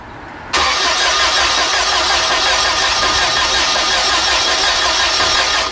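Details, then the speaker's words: VW engine converted to run on gasoline vapor: about five seconds steady cranking without catching; a valve not sealed, leaking air into the intake. "It fired off something. Yeah. It's fired. Trying to fire. Oh yeah. Oh, we didn't have the toilet valve sealed."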